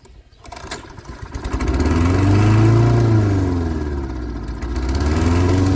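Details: Lawn mower (Kohler engine) after repair for bad gas, with choke butterfly refitted and a fuel shut-off added: catches after a few pulls and climbs to a steady, even run with a firm low beat and no misfire.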